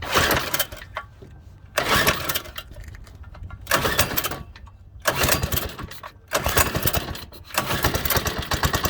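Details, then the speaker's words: Stock 97cc Baja Doodlebug mini bike engine, cold, started on choke before an engine swap: repeated pull-start bursts catch briefly with ragged sputters and then stall. It is hard to start and must warm up a while or it dies. "so i got it running a little bit by trying to choke off a hard time starting up and just stalled you really got to let it warm up for a while"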